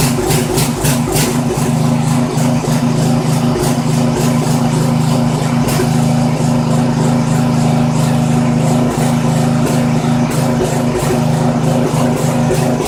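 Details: Poulan 900 rototiller with a small Briggs & Stratton engine, run with the air filter off. It runs rough with irregular stumbles and surges. Dark muffler deposits suggest it is running rich, and the owner concludes the carburetor needs cleaning.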